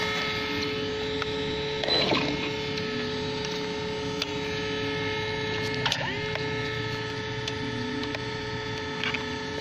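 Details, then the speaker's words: Traxxas X-Maxx 8S RC truck on its fourth light run, run on 8S (2x 4S 5200mAh), after gravel, grass, road and small jumps: constant electrical buzz with steady tones and small clicks from the steering servo, no response; suspected servo failure, unconfirmed. "guys, what's this sound? It's coming from the servo."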